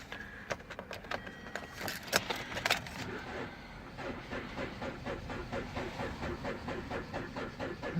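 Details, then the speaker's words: 2012 Hyundai Sonata bought at auction, after key rattle a slow dragging crank thumps about three times a second without catching; likely needs a battery, suspected not confirmed. "sounds like it might need a battery. Alright, well, needs a battery."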